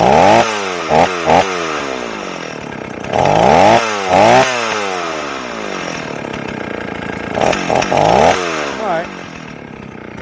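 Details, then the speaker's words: Old Stihl 038 AV chainsaw after a carburetor swap, mixture screws set about 1¼ turns out, not yet fully hot. Revs up and bogs through repeated cuts with a burbling, blubbery note instead of a clean scream. Running very rich. "It seems like it it wasn't necessarily lean before, but now it's it's really fat."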